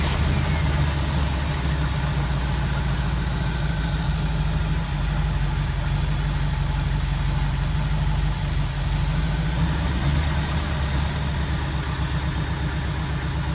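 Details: 1964 Buick Riviera V8 revived after sitting 23 years, warmed up with idle turned up slightly, charging 13.2 V; smooth even low rumble with a steady beat, no knocks or misses, a clean healthy idle.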